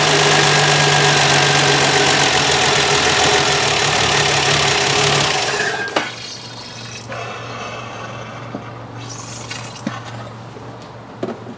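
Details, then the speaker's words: Canadian 1966 Valiant six-cylinder, low mileage, sat over 20 years and unstarted for 10, carb mixture enriched, runs loud and rough with an uneven beat dropping to a lumpy idle: misfire, running on five of six with a spark plug wire off. "well this is rather embarrassing i had a spark plug wire off it was only running on a on five out of six now it's running on six"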